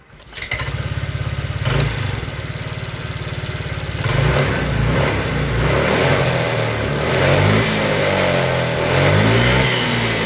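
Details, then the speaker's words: Honda Vario Techno 125 scooter after replacing a failed, fallen-in tensioner that caused a rough engine noise: starts, revs smoothly and idles evenly with no rattle, engine now normal. "setelah kita ganti stationer yang baru ternyata bunyi mesinnya sudah sangat-sangat halus dan normal tidak ada kendala apapun"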